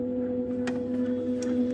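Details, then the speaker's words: Mastertronic water analyzer running a marine-mode nitrate reference fluid test: steady low hum with a clear higher tone and faint ticks as the stepper motor starts its first action; normal stepper start. "now you hear that the stepper is starting at the first action at the same time same time immediately when that happens pour 10 milliliter of reference fluid into the chamber"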